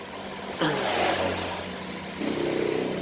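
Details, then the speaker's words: Honda Beat injection scooter running right after a routine service: steady low idle hum between brief throttle blips, no knocks or rattles. It is left idling five minutes to check the reassembly and cleaning. Healthy, no prior fault. "Oke setelah hidup seperti ini biarkan terlebih dulu dalam 5 menit ya teman-teman karena kenapa di situ kita bisa mengeceknya lagi apakah yang ada yang salah untuk pemasangan tadi"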